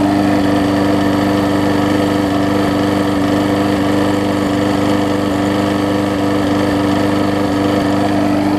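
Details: Husqvarna mower with aluminum deck, after new gas tank, replacement carburetor (old one gummed up) and tune-up, holds a steady, even drone at constant speed with no surging or stumbling; running properly.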